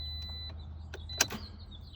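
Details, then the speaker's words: 2009 Toyota Corolla no-start with a new, fully charged battery at 12.5 V, starter tested good, fuses and connections good, and alternator replaced: the key gives a single click, then nothing, with no cranking. Owner suspects the ignition switch; cause unknown. "single click got a double click that time no click that time"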